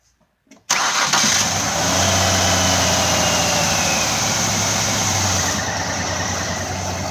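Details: 2004 Ford Escape: engine fires at once and settles into an even, steady idle with no misfire or ticking; normal start and idle.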